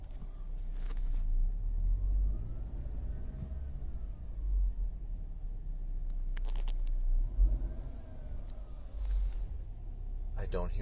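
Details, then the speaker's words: Mercedes C250 W204 four-cylinder after engine mount replacement, cured of a high-pressure fuel pump noise heard in the cabin: low, even idle rumble with brief rev rises and no drone or pump hum. Normal idle. "the rotation of the high pressure fuel pump nice and quiet nothing like it was before another good example from coming from a stop light load it's nice and quiet"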